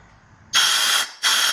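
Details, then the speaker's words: Dead Honda power washer engine, cylinder pressurized and listened to at the exhaust: two strong bursts of hissing air rushing out the exhaust; exhaust valve not sealing, leaking exhaust valve. "we're going to take a listen to hear it at the exhaust intake or the breather on the crankcase."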